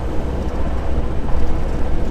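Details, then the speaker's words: 1955 Porsche 356 Pre-A Speedster air-cooled flat-four idling cold after the spark plug wires were sorted, before warm-up: slightly uneven, loping beat; twin carburetors close but not spot-on, out of balance. "gonna venture to say we're close but not spot-on with the tuning on the carburetors but that's okay we need you to warm it up anyways"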